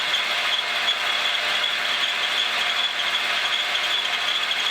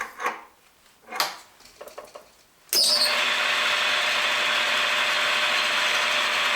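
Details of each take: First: Montgomery Ward Logan lathe 04LC-700A with new Dayco 5070405 serpentine belt: steady running with high-pitched squeak and light rubbing, owner suspects the belt drive system overhead; cause unclear. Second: Montgomery Ward Logan lathe 04LC-700A after new Dayco 5070405 serpentine belt, belt slightly loosened to ease squeak: handling knocks, then smooth even hum, no slapping; much quieter, normal running.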